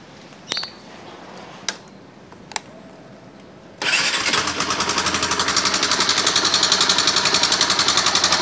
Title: ns160..maingay na makina! ano masisira pag kulang sa langis.. panoorin mo para iwas gastos..